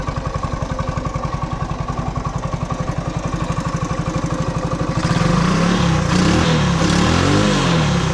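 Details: Honda ATC 90 single-cylinder engine on its first run after sitting 50+ years, carburetor sandblasted and valves checked: even putter about four beats a second, then a clean blip without misfiring; normal idle.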